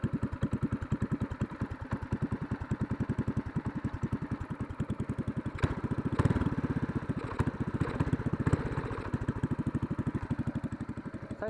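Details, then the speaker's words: Racing go-kart engine idling on its lawnmower-style muffler before a racing J-pipe header is fitted: steady single-cylinder idle with a sharp puff-pop each firing stroke; exhaust leak at the muffler. "but here's a muffle test has a bit of exhaust leak right now as you can hear"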